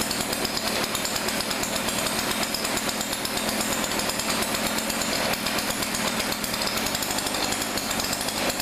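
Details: Thrift-store Weedeater PE550 edger with new fuel lines and filter: a small two-stroke buzzing steadily at high revs with no stalling or surging; normal running.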